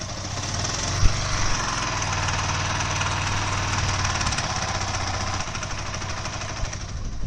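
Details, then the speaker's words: Second-hand Yamaha R15 V3 motorcycle, sound problem persisting and rpm repeatedly dropping: rough clattery idle with irregular rapid knocking that fades as revs sag; very ugly abnormal engine noise, cause unknown. "হলো এই গাড়িটার sound ছিল, মানে একদম বিচ্ছিরি রকমের জানা তাই একটা আওয়াজ।"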